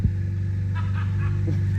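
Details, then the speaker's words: BMW 535xi E61 wagon, idling with the exhaust gaskets removed at the downpipe during the third repair of a recurring exhaust leak: a loud, deep, raw rumble with a coarse low throb. The exhaust is open. "I'll show you the new ones, but first let's scare the crap out of the kids with the open exhaust."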